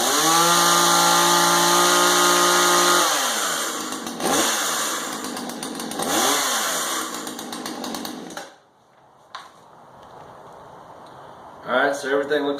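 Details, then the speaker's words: Husqvarna 240 X-Torq chainsaw after replacing a chewed-up, bad clutch drum assembly: strong steady high-revving buzz, clean drops and quick re-revs on throttle blips, pulling evenly; running normally and healthy with the new clutch assembly. "it's connecting you okay they're running pretty good with that new punch assembly"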